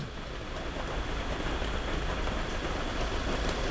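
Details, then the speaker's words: 2018 VW Jetta 1.8T with misfires, idling after the cam adjuster (VVT) solenoid magnet was unplugged to force default timing: steady, even idle with no surging or misfires, confirming a faulty solenoid before its replacement. "Look at that. No more surging. No more terrible timing. It's actually running well. No more misfires with that unplugged."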